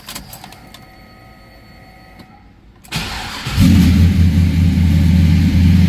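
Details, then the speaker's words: 1972 Oldsmobile Cutlass S with fuel-injected LS V8 swap, Doug Thorley headers, dyno-tuned 420 hp crank, automatic: starter cranks briefly, catches, settles into steady, deep fast idle after cold start; normal healthy engine. "You can hear a very healthy engine. It's going to be at high idle since I started it cold there, but it'll give you an idea what it sounds like."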